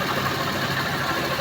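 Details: Suzuki Multicab (DA64V/DA64W/DA17V/DA17W series) small petrol engine at idle after its hose was rearranged; it starts on one click and has a smooth, even, quiet hum with no knocking or ticking. No leaks underneath, so a normal healthy idle.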